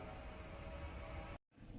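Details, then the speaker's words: 2017 Hyundai Grandeur IG LPG, 168,000 km, one owner, engine slightly warm after a short drive, recorded from inside the cabin: steady, low, even idle hum with no misses or roughness; normal idle. "네 차량에 탑승을 해서 엔진 가동을 했습니다 왼쪽에 보시면 RPM 게이지가 있는데요 엔진 부조 전혀 없죠"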